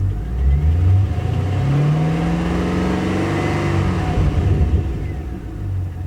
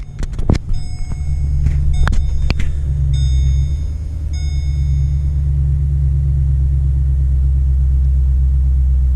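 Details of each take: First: 2009 Holden Commodore VE SS 6.0L Gen4 V8 after replacing a broken pushrod, spark plugs and leads: revs up and settles smooth and even, no miss, no engine light; the idling miss and smoke are fixed. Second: 2009 Holden Commodore VE 6.0L V8 at idle: it starts normally, then settles into a shaky, uneven idle miss as rpm drops, running very rich with smoke. The cause was a broken pushrod.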